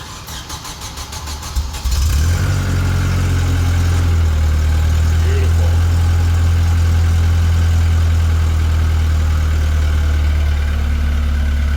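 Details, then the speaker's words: Tennant M20 sweeper, propane Vortec 1600, first cold start after a head gasket job: a brief crank, then a steady, even low idle with no smoke and slight valvetrain noise expected to clear. Coolant and oil levels fine; healthy start. "no smoke little bit of elve train noise yet that'll clear up"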